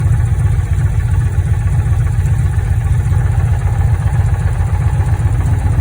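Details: Dodge Challenger with misfire codes: deep, lumpy idle with an uneven, loping beat under the exhaust rumble, like a cylinder missing at idle.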